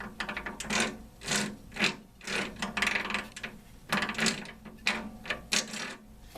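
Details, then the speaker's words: Worn backup transmission on a derby mower after the event, loose plate and set screw, bent shifter: irregular harsh ratcheting clicks and gear grinding while forcing shifts, whining earlier, first gear not engaging; damaged transmission. "it's bad my ship is all bent so I'm fighting it as you can tell I'm fighting gears"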